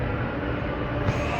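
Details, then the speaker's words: Supermarket AHU on VSD, jet grilles in the corridor: constant loud rushing hiss with no rhythm or tone; excessive airflow because the tenant area's ducting and slot grille are blocked before move-in, so the fan speed needs lowering via the VSD. "So that's why it has a big flows at this area. If it's supply air to here, but now they not yet start. So the flow will be over and make a noisy sound."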